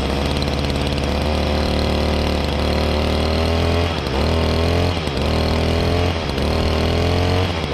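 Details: 2011 Stihl FS55R trimmer, 27.2cc two-stroke, nine years old, last run November 2019, started on choke and primer bulb; bright buzz holds a steady idle, then four quick throttle blips rise and fall cleanly; normal running.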